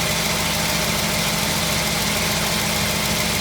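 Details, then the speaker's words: 1952 Ford F1 flathead, cold start after sitting 7 days, choke pushed back in: steady even idle with soft smooth exhaust beat, no knocks or misses; normal idle. "But that's how it's running. I'm going to let it run a little bit more for you, show you the other side. Hear that nice flathead sound is what we're listening to."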